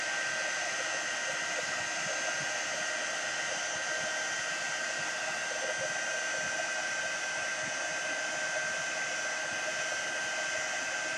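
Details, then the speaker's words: Heat gun used for embossing cardstock: steady even airy hiss with no rumble, pulsing or rattle; fan and element running normally. "And once the gun heats up, it goes really, really quick. So it doesn't take any time at all."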